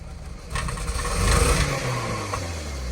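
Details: Toyota Scion tC first run after head gasket replacement, stripped head-bolt repair, retiming, and new starter and radiator. It catches, revs cleanly and returns to a steady idle with no knock or misfire, though it is smoking oil. Normal revving.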